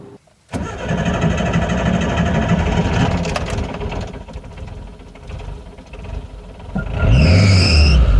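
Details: Warm Suzuki Samurai petrol engine, before fuel pressure regulator replacement (browned vacuum line, fuel bypassing regulator): long uneven cranking for several seconds before it finally catches and revs; hard warm start.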